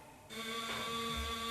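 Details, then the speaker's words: Ford Model T at key-on during a cold start on a warm day, after priming with the choke: steady high-pitched electric buzz holding one even tone; trembler coils buzzing normally before cranking. "you can hear the coils are started and now let's see how many attempts it really takes to start"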